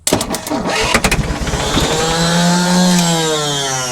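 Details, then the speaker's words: Scrap-bound diesel forklift started via screwdriver at the starter: uneven cranking chugs about 1.5 seconds, then catches and runs; hard, intermittent starting, not wanting to keep running normally. "Tôi không biết tại sao nó lại quay và đôi khi nó khởi động và đôi khi không,"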